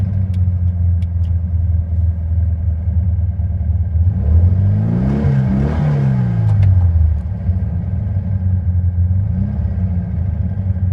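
Uneven air-cooled idle, then a stumbling rev that sags and catches around four to seven seconds before settling: hesitation and misfire. Cause suspected, not confirmed.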